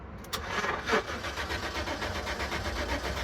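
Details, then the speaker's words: 2010 GMC Savana van cranks at an even rhythm but never fires: crank no start. Several cut wires found underneath; a relay or the passlock system is suspected but not confirmed. "all right everybody in this one 2010 GMC Savannah issue is we have a crank no start"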